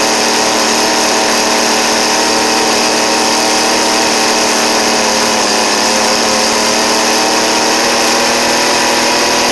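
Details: Cheap two-stroke string trimmer after new carburettor and fuel lines: thin high buzzing whine near full throttle, slightly wavering; high-speed mixture suspected too lean or too rich, adjustment screws far out.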